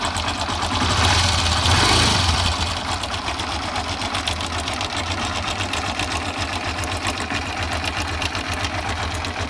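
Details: Timing chain rattle at idle: fast, fairly even metallic clatter like a sewing machine, chain slapping because the rubber in the tensioner is worn out; fixed by replacing the tensioner rubber.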